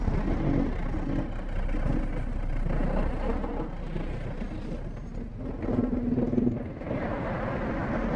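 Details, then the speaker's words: Yamaha V80 two-stroke that sputters and dies while riding as if out of fuel, runs again on choke: uneven stumbling exhaust sagging under uphill load. "Nanti tiba-tiba mati kayak habis bensin."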